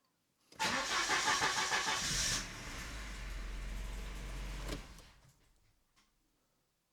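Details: Volvo 945 barn find, first start after sitting since 2017, no fuel pump heard: short harsh whirring clatter while cranking, then the engine catches and quickly quiets down; noise source unclear.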